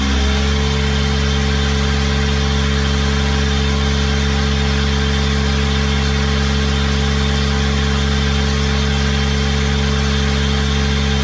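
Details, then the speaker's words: Small Kubota diesel driving a hydrovane air pump, running after a new 8-tooth-pinion starter fitted; steady, even low throb at one speed, no knocks or misses; normal diesel idle, though the pump makes no air and stalls when the tap is shut. "but at least the engine runs"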